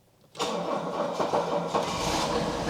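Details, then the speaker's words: Diesel car with preheat, vacuum-operated shutdown, sitting unused with some rust: after a couple of seconds' preheat the starter catches at once and it settles into a smooth, even idle with no misses or knocks; healthy diesel start. "I expected to just fire up if I put it into ignition and give it a couple of seconds to to preheat"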